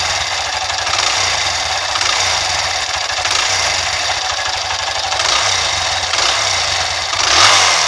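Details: CBX motorcycle engine running steadily with fast, even metallic ticking over a buzzy note; owner asks whether the engine is making noise, cause unclear. Engine knocking noise.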